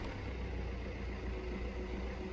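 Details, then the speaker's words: Fiat 500X started via emergency procedure (key pressed on start button, clutch depressed) after flat key-fob battery: steady low even hum with no misses, knocks or rattles; engine started and idles normally. "you can hear there the car started, okay?"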